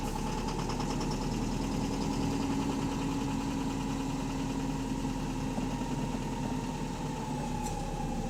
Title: Loud Engine Rod Knocking | AL HV48 On Bus Route 335 Part 2 (4)